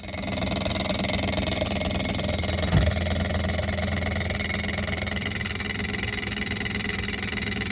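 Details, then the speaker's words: Kenmore fridge, rear cover off: steady motor hum with a fast, light ticking rattle. The whole condenser fan had slid forward so its blade hits the condenser coils; the fix is pulling the fan back. "I've unplugged it and you can see that the fan is hitting that's the noise we're hearing super annoying"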